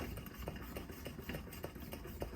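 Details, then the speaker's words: 1968 Coleman 200A lantern, previously disassembled, pump test before a dry burn: light, even pump strokes about three a second with soft squeaks, no catching or hissing; owner thought it might need oil, but pump works fine. "Let's see how the pump is working on this one. Ooh, what's going on here? We might need to oil. No, that's working."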